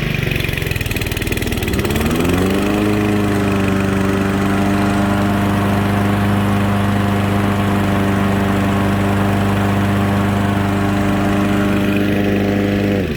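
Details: Honda HRA215 SX self-propelled mower, started after getting a little wet. It catches after a brief crank and settles into a smooth, steady hum with no misses, knocks or hunting; runs healthy.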